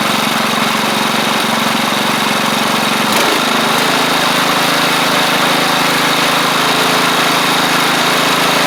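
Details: Replacement engine with new head gasket on a Troy-Bilt Pony rider (the original seized, likely from running without oil): even, steady idle hum at about four beats a second with no knocks, misses or hunting. It sounds healthy, with slight startup smoke; the owner doubts a head gasket problem.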